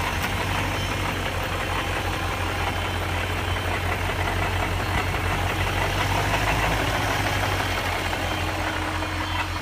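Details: 1999 BMW 540i, 186,000 miles: loud rattling on start-up and when revving, louder from under the car than under the hood; steady low rumble with a loose, uneven rattle at idle, source not pinned down.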